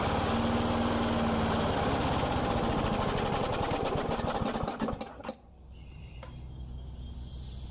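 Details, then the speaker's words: Friend's lawn mower that starts and dies, running with air filter on; uneven chuffing beat falters and fades, dies after about five seconds; owner suspects a vacuum leak, unconfirmed. "Okay, so that was better. That tells me we still got a leak somewhere."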